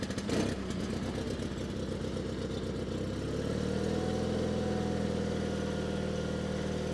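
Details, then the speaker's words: 1987 John Deere 316 tractor, cold start on choke: cranks, catches, runs unevenly and hunts before settling to a steadier beat; very cold-blooded, owner suspects partially plugged carburetor jets. "choke really really cold blooded proba probably the Jets are partially plugged up in the carburetor"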